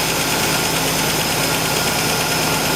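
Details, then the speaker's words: 1965 Ford Falcon inline six with EFI, checked for a suspected tapping valve: busy but even idle with a steady mechanical rustle and no distinct tick; owners can't tell if it's tapping or just engine, sounds normal. "Is that tapping or is that just engine? I don't know."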